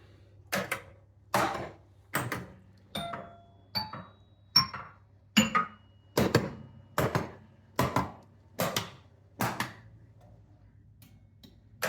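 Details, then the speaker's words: Bally Strikes and Spares pinball after solenoid driver board repair, where high voltage and 5V had both been bad. About a dozen crisp solenoid clacks fire one by one in coil test, with 13 the coin door lockout and 14 a relay click. All are working. "13 and 14 are just going to be clicks the coin door lock out right here"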